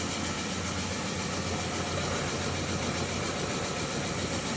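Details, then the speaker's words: Javelin 16-4 portable 4-inch auger with high torque kit, set to full speed in forward, running empty before product goes in; a steady, even drone with a constant hum and no knocks or surging, normal. "Okay, we've got the auger set to full speed. The switch is in the forward position. I'm going to fire it up. It's running at full speed."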